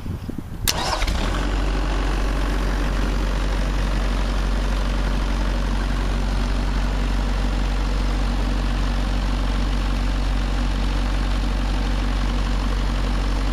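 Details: Kubota V2203 diesel, 18,875 hours, being warmed up before an oil change; will run at 1700–1750 rpm driving a hydraulic pivot pump. Cranks briefly on glow plugs, catches quickly, then settles into a steady, even, healthy idle with no knocks or misses.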